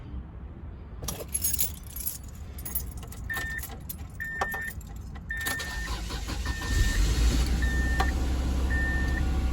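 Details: 1998 Subaru Legacy Outback after starter replacement, battery at 12.4 V: keys rattle, brief crank, engine catches and settles into an even low idle with a beeping chime; new starter works, starts fine.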